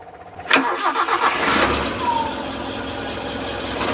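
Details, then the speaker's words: 2002 Suzuki Carry Futura Realvan GRV start: starter catches quickly, then a smooth, steady idle with no knocks or ticks; oil shows no coolant mixing; engine sounds normal and healthy. "mesin langsamnya Masih normal oke tidak ada ciri-ciri suara mesin yang aneh-aneh"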